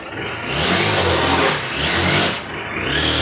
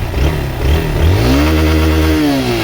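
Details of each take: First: Honda XRE 190 motorcycle with intermittent strange engine noise: revving and settling with a rough whirring that comes and goes with revs; mechanic suspects the clutch primary shaft bearing, unconfirmed until opened. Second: Honda XRE190 single-cylinder after repair of an odd engine noise that had appeared when the clutch was released: in gear it revs cleanly as the clutch is let out, pitch rising and settling, with no knock or rattle. Normal running.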